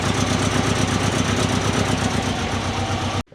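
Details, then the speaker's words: Turbo Subaru Forester after new mid pipe, oil cooler and ECU tune change (fuel prime pulse corrected): rough puffing idle with fast irregular chuffing before cutting out; exhaust leaking badly at joints. "All right, it's running now. See if there's any leaks. Uh the old stuff. Now the exhaust is leaking there and there really bad."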